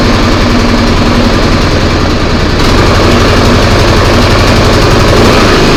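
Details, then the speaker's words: Craftsman snowblower after repairing a noise that occurred with augers engaged: small single-cylinder engine runs steady and even with no knocking, grinding or rattle; noise expected gone: normal running. "I mean, we'll fire it up, make sure it's going to run and everything. I think we're going to find the noise is gone."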